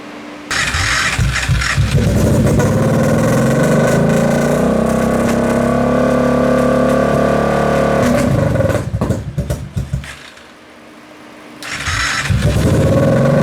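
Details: Kawasaki KFX700 quad, after sitting a couple months with old gas replaced by fresh, starts and revs. The beat turns ragged with stumbles and pops, sags nearly to stalling, then recovers: intermittent misfire or intake backfire. Owner suspects stuck valve or timing chain.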